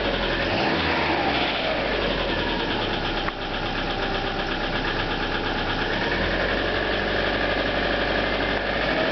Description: Some clip from my EJ25 in MY97 outback and that famous piston slap :)